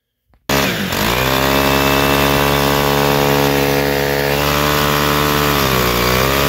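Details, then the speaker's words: Stihl FS-111 trimmer held at throttle with primer pressed after drying a fuel-soaked air filter; steady high buzzing sags then picks up in pitch as the engine finally starts getting the airflow it needs. "and that sounds like it's finally starting to get the air flow that it needs"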